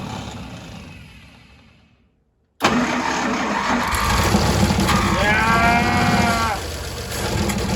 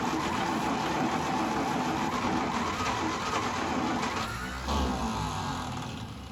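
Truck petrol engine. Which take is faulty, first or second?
second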